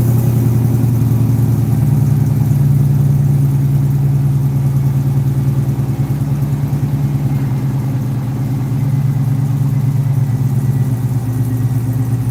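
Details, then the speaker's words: Firebird with stock LS3 V8 and two-chamber Hooker mufflers, cold start: deep steady burble at high cold idle, even pulses, no knocks or ticks; sounds healthy. "Not bad for a Doesn't sound bad for a stock LS3, right? Hooker mufflers is what's on here."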